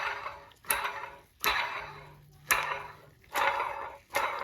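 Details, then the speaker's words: Removed water pump from a 2017 Toyota Highlander, spun by hand: dry gritty rasp fading as it slows, about once a second; weak internal bearing rubbing, causing loud odd noise in service, pump being replaced; new pump spins silently. "there's a bearing inside here when the bearing gets weak they start playing and they start rubbing against each other so if you can if you can hear this [Applause] noise when the water is going through it it makes a very loud and a funny noise"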